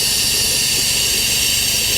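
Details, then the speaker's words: Porsche 911 Carrera cooling system being vacuum-filled with a compressor-driven venturi tool, gauge approaching 25, hoses collapsing and the system gurgling. A loud steady air hiss is heard as the vacuum draws: coolant vacuum-fill hiss, working as it should. "So far, so good. I can hear the cooling system gurgling."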